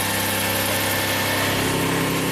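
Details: 2000 Toyota Sienna 1MZ V6 on its original drivetrain at 540,446 miles, which burns some oil, after repair of an intermittent misfire (flashing check engine light, P0305): a steady, even, smooth idle with no stumbles and no misfire counts.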